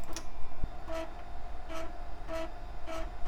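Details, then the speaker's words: HP Vectra system running Windows: short buzzing stepper bursts about every half second as the floppy head seeks, a loud but healthy floppy drive. "This machine also has a wonderfully noisy floppy drive."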